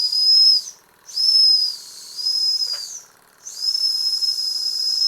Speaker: let's see if we can get the whistle to go you hear it